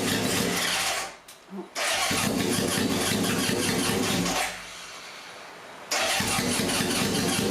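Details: Barn-find 1978 Honda CB750K, freshly rebuilt engine, on choke after a spark plug wire repair and before the idle-mixture adjustment: the starter churns and the engine catches unevenly, drops out twice, then roughly picks up. Hard starting, ragged running.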